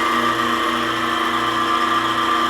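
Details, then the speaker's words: Maple sap house vacuum pump and motor after redesigned mounting plate to save couplings: steady whirring hum, much quieter, no vibration rattle, vacuum building to almost 19 inches; normal running. "it is so much quieter now no vibration"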